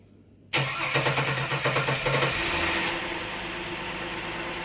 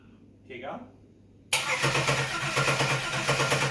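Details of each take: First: Holden VX Calais engine freshly reinstalled, first start: starter whirrs briefly, then the engine catches and settles into a steady, even idle with no knocks or misses. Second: Holden VX Calais just after engine reinstallation, battery fitted: quiet, then steady starter cranking with even pulses that never catches; cranks but won't start, fuel pump not heard priming when key turned on.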